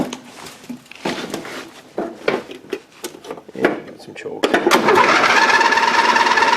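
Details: Dynamark riding lawn mower right after the carburetor was removed and cleaned of green gunk: short stuttering starter cranking bursts with no catch, then the small engine finally fires into a steady buzzing run.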